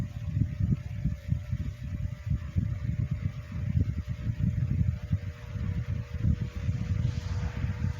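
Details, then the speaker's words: Comfort Zone CZHV9BDG 9-inch high-velocity fan, first run since mid to late 2022. Low, lumpy throb with a faint hum, pulsing unevenly. It is waking up and must work the oil in. Uneven running after long storage. "Okay, you can hear that it's waking up. It's warming up. I don't think that I've ran this thing, but maybe at least once or twice. So it's going to have to work that oil in there."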